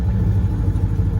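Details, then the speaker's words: Citroen 2CV small twin after carburetor troubleshooting, at the gas station after refuelling: catches and holds a low, even, steady idle without stumbling; normal start and idle. "it idles well"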